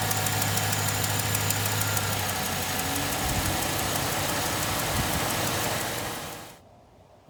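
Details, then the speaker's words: 2007 Suburban V8 with about 213,000 miles, at idle before motor flush and oil change: loud, even lifter tick about four a second; valve covers checked, no lifters collapsed, owner suspects clogged lifters. "it's got a really loud lifter tick and i took the valve covers off and i confirmed that none of the lifters are collapsed"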